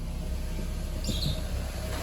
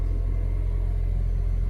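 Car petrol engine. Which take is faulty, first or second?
second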